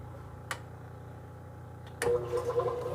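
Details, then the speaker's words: Washing machine on spin cycle, after repairing a strange noise during spin that was not the bearings or the mechanism: quiet, steady low hum with no grinding or rattling, only a couple of handling clicks. "perfeito máquina lavar silenciosa perfeitinha tá bom"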